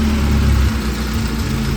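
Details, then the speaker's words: Classic Saab 900 petrol engine, just started after starter replacement, idles roughly with a stumbling, uneven rumble, a misfire issue, and then dies; new starter meant to fix a hot-start problem. "yeah now it's starting to do it and it actually just died"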